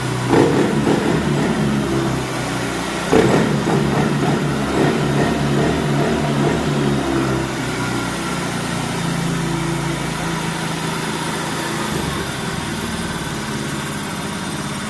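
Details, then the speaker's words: Honda Scoopy/Beat ESP scooter with lost ignition, fixed by replacing the TPS instead of the ECM: fires straight up, takes a sharp throttle blip, settles into steady even idle; normal start and rev. "nah teman-teman Alhamdulillah ya alhamdulillah ketemu juga permasalahannya sekarang udah normal kembali motor juga bisa digas"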